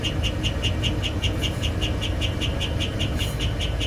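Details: 2004 Holiday Rambler W22 motorhome, GM 8.1 L 8100 Vortec, 60,000 miles; sharp chirp repeating about 100 times a minute over engine rumble, appearing only after about 5 minutes of warm-up, slightly quieter at higher rpm; no visible exhaust leaks, undiagnosed by many mechanics.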